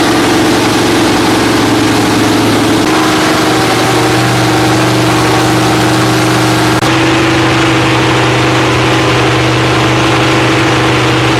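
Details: Freshly rebuilt Holden 308 V8 (described on-site as a 253 with a 360-lift roller cam), on a part chassis, after fuel-line fixes: loud, steady idle with a firm, even rumble and a brief rev blip, no knocks or misses. Normal idle.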